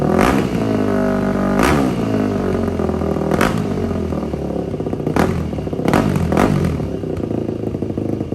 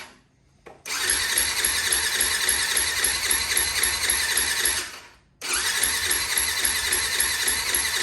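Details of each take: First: 2004 Yamaha WR450 after carburetor cleaning and valve adjustment, with restrictive exhaust insert removed: repeated blips with sharp rises and quick drops, open crisp bark without stumble; exhaust now flows freely. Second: 2004 Yamaha WR450 with choke on, after a failed kickstart: two long electric-start bursts at about four pulses a second that never catch. No fuel was reaching the engine because the carburetor float needle was sticking; opening the carb drain and tapping the carb restored fuel flow.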